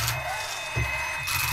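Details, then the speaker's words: RC car with a brushless motor in sensorless mode (sensor wire unplugged) crawling up a ramp: uneven low clicks and thumps under a thin electronic whine as the ESC and motor lose sync at very low speed. "Already hear that clicking noise. However, if we maintain speed, and we're not really talking about much speed here, watch, we maintain a very slow speed and we can keep that ESC and motor in sync with one another and make all the way to the top of the ramp."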